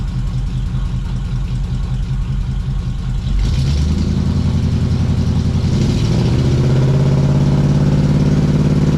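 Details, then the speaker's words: 1979 Suburban V8 idling just after new dual exhaust with glass packs was fitted: deep, loud rumble, blipped twice, then a steady, even idle. Strong, healthy exhaust note, maybe a bit loud. "I had it running so I'm gonna let you know it sounds pretty good maybe a bit loud"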